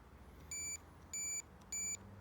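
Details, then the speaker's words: Royal Enfield Classic 500, diagnosing no-start from a failing starter relay; starter button wired to multimeter on continuity. Three crisp high beeps, one per button press; starter switch continuity good. "i've got the starter button connected up to my multimeter in the continuity setting so we should hear a beep when i press the starter button"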